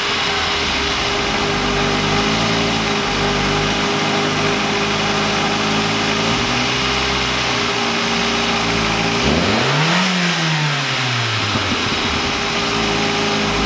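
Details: VW Lupo 1.8T with GT30 turbo after engine damage and rebuild (H-beam rods, new bearings, 2 mm head gasket): engine note climbs and falls cleanly through a quick blip, no knocks or rattles; revs freely and runs very well.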